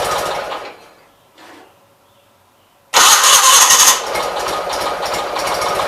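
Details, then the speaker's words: 1976 Gravely 816 after clutch work, carburetor dry; brief crank, then long loud steady rapid chugging without settling to clean idle, suspected flooded; extended cranking, hard start. "carburetor dry so we're going to crank it a little bit so let's see what happens that's probably that flooded"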